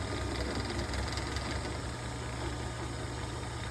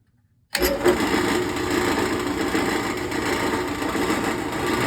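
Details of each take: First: General 340 drill press running with the bottom cast-iron belt guard removed: a steady low hum from the motor and belt, running evenly with no rattling. The motor moves slightly more than before. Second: General 340 drill press running: a constant buzzing metallic rattle over the spindle hum that goes away when pressed by hand and persists with the belt cover off.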